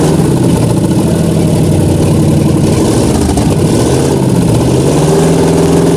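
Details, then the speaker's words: Ford Galaxie 500 classic project car: loud, steady, even engine note with no knocks or misses; sounds good, only dying from running out of gas. "Running out of gas, but that's it. She sounds good. She's gonna fire, she's gonna run good."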